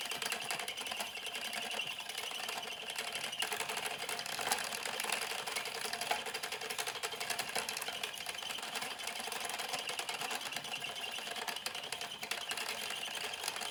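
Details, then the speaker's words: Louet S45 spinning wheel while treadling: a fast, light, even clatter with a faint squeak; the owner suspects the flyer is not secured because its small screw has come undone, source not confirmed. "the sound is coming from the flyer not being secured so if i tighten that little screw up again"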